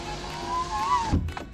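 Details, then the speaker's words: 2008 Saab 9-3 TurboX, newly replaced window actuator being tested: a steady electric motor whine climbs slightly as the glass travels up, then a firm thump as it seats and closes fully. The power window works normally after the repair. "okay guys I had to plug it in to lower the actuator to install this before I button this up [Music] as you can see everything is working"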